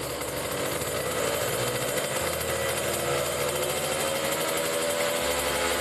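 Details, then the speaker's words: Kawasaki Ninja RR two-stroke with racing exhaust during carburetor tuning, pilot jet 25, main jet 270, needle changed: raspy buzz revving slowly, briefly held back around 7000 rpm, then spins freely through 8-10k at full throttle; carb setting suspected, not confirmed. "jadi Tadi sempet ada tertahan di RPM 7000 that nah tapi setelah digas pol 8 9 10 ke sana itu udah apa yang namanya udah enaklah lah Udah lepas gitu"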